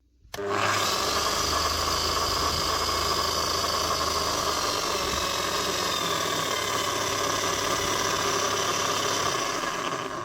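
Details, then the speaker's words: 2005 Makita HM1202C demolition hammer with 20 years of work, after a strip, clean and new grease: a steady motor run with a rough, gravelly gear whine, louder at the low speed setting. The armature and crank gears are worn, noisy but not worn out. "The gears in this are still worn. You can see the gears in the armature are worn especially. Not worn out, but because they are worn, it will still be a little bit geary. It's not going to be silent, this thing."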